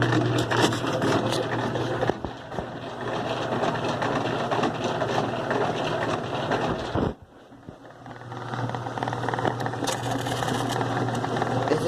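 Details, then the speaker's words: 2005 Kenmore 70 Series direct-drive washer, model 110 2752 500, noisy while washing and spinning. Low hum under a rough scraping rattle from a dirty drain pump. Worn dogs are also mentioned, coupler not noisy, and the problem shows in delicate mode. "este los perros están desgastados eso está haciendo el ruido pero [Risas] ruido pues es la bomba del agua o no puede no tienen ruido del cople pero con el modo delicate verán como tiene el problema"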